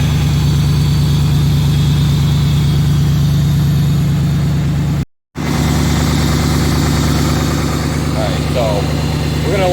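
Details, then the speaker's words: After exhaust replacement and a reinstalled part that had been backwards, engine that previously dropped to zero and stalled now holds a steady low idle with an even pulse, no dipping or stalling; normal idle. "almost definitely doing better because before it was just kicking down to like zero and shutting off it doesn't sound good sounds much better now"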